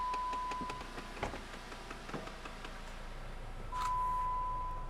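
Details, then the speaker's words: 2014 Jeep Compass: rapid ticking and knocking under the dashboard, about four a second, whether running or parked and turned off for hours, from a faulty HVAC heater blend door actuator stuck cycling. "you can hear that noise knocking up under the dashboard there. It'll also do that noise by itself when the car's just sitting there."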